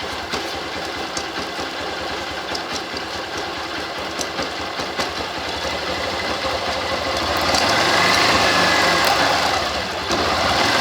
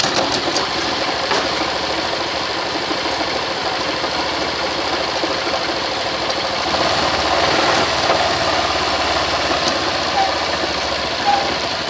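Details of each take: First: Motorcycle running in gear with the rear brake applied for load: a tick about three per second, once per chain revolution, as the master link passes the sprocket; a mismatched master link on a worn chain; quiet in neutral. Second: Motorcycle in first gear under load with the brake applied, after fixing a periodic noise once per chain-drive revolution by fitting a smaller sprocket: steady, even sound with no periodic clunk from the chain drive.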